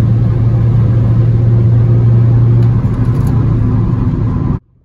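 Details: 2006 VW Jetta TDI 1.9L Pumpe Düse diesel after camshaft replacement for low power, driving and building boost: steady, even low drone with wind rush, no knocks or ticks; normal running.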